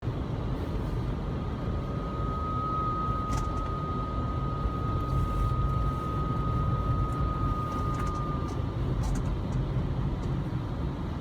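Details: 2002 Lexus RX300 with 1MZ-FE engine; thin steady whine near 1 kHz over road rumble while driving; automatic transmission whine that went away after draining ATF, replacing the filter and refilling with Toyota T-IV and Valvoline synthetic ATF.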